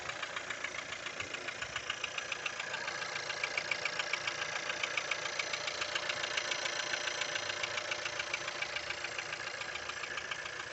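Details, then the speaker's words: Skoda Octavia A7 1.4 turbo; crisp, very even ticking about three to four a second over a quiet idle; rhythmic rattle, owner cannot tell where it comes from. "откуда-то тарахтит, откуда, не понимаю."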